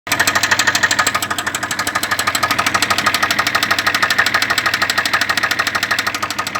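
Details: Sharp, even engine knock about three times a second riding over the running engine; clear internal knock, cause not pinned down.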